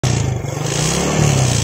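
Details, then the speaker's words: Yamaha Jupiter Z carbureted single, carb already cleaned: revs with a surging, faltering beat because petrol gets into the fuel tap's vacuum hose; fouls the plug black and wastes fuel. Fix: plug the hose with a bolt. "ada bensin yang masuk sini ya Tuh jadi Bensinnya itu masuk ke selang vakum ini ini yang menyebabkan motor Jupiter set ini berebet ya"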